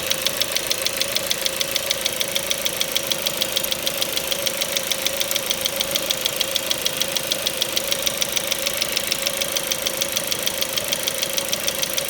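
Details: Ford Mondeo 4 2.0 Duratec HE, 89,000 km, LPG fitted at 70,000 km, idle: quick even top-end ticking knock about three per second; not valves or swirl flaps, owner suspects petrol injectors; knock vanished revving to 7000 rpm stationary.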